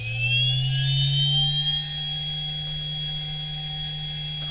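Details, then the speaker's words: Standard 50 Hz, 1500 rpm induction motor on a variable-speed drive at 300 Hz, in field weakening with the voltage capped at 200 V: high steady whine near 10,000 rpm, running cleanly with torque reduced. "And there we are going pretty fast. That's 300. 300 divided by 50 is 6. So 6 * 1,500. So we're doing close to 10,000 RPM."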